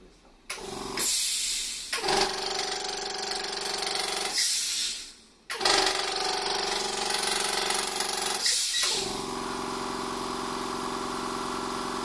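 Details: Try-POWER quiet-type air compressor making a harsh, hissy mechanical clatter after about two hours of use, louder than it should be; owner suspects connecting rod misalignment and finds sticky liquid sealant at the solenoid/pressure valve; cause unconfirmed.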